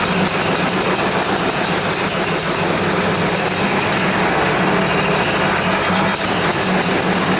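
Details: Yard Machines snow blower with 10 HP Tecumseh engine that had sat unused for a long time, after repair: loud, steady single-cylinder chatter with an even beat and no misses; running normally.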